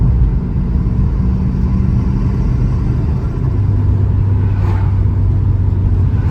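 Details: Turbo Vauxhall Astra GSi (~300 bhp), cold 2°C morning, previously misfiring on boost as if spark blown out, now fitted with correct recapped spark plugs: deep even drone under boost, no stumbling or popping, pulling cleanly.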